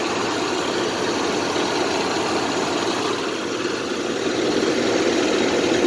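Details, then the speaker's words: 1975 AMC Matador Brougham station wagon, 304 V8, just refuelled and started; even, slightly lumpy idle with a steady low burble and no knocks or ticks; normal idle. "Hear that 304 in all its crap glory. Nah, it sounds all right, but it's nothing to write home about."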